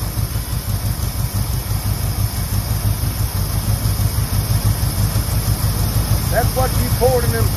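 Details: 1969 Ford one-owner survivor, 52,000 miles, just started after 23 years in storage: low, lumpy but steady V8 idle about three pulses a second, running on its own; still needs plug wires, burning off cylinder oil.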